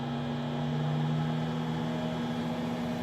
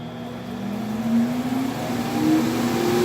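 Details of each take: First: 60 W CO2 laser cutter exhaust blower slowed by a light-switch dimmer speed control: smooth even motor hum with steady low tone and soft air rush, no rattles or surging; about half the noise while still extracting air. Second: Stock exhaust blower of a 60 W CO2 laser cutter, run at full strength through a dimmer speed control: fan whine climbs in pitch as it spins up, then holds loud and steady; noisy but normal blower.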